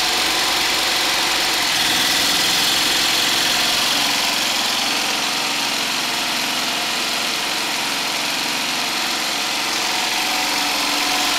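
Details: Homemade 12V DC generator charger, small engine driving an alternator (about 80 A in summer, 100+ A in winter), running in a basement; even, steady drone with a fast regular beat, no knocks or misses. Normal running.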